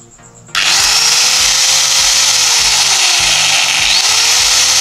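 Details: Makita 9553B angle grinder that sounded rough and overheated quickly, after the armature was replaced: snaps on and holds a smooth, even high whine with no rattle or surging over faint background music, running healthy.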